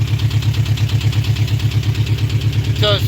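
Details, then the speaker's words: Engine starts and runs with a heavy, low, regular knock about three times a second at idle; owner first thought rod knock but now suspects a blown head gasket, cause unconfirmed. "it starts and runs it's just it's knocking real hard and I don't honestly think it's knocking I don't think it's a rod knock"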